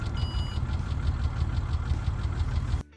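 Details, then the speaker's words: Ford Territory cold start the next morning: fast, rough tapping about three per second over the idle, an engine tick that had come and gone before and proved much worse than thought, leading to an engine swap; cause not pinned down. "And when I got to Coffs Harbour and started it the next morning, that sounded bad."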